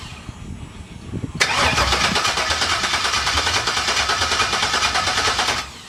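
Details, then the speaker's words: LS-swapped Chevy C10 with new Hustler headers, open header tubes, first startup: steady cranking at about three even beats a second for four seconds with no firing, fuel pump fuse pulled to build oil pressure. "Alright, I'm going to go a couple times. Okay. To try to build some oil pressure."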